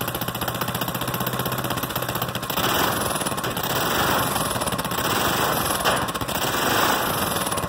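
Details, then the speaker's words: Goofy Cart 2 small single-cylinder with Mikuni-style carburetor, first start after 20 months in a cold shop: fast even idle popping, crisp throttle blips picking up cleanly and settling, loose exhaust; normal running. "real good response with that mikuni style carburetor and as you can see the exhaust is kind of bouncing around because it's loose but yeah I'm happy with that starts real well runs good"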